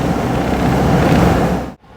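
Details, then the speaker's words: Citroën 2CV engine on its final drive before an engine swap, window open: even, throaty rumble with no knocks or misses under wind noise, then a clean shut-off; healthy normal running. "So, there we go. It is time to turn off this engine for the last time. And what a sweet little engine that was."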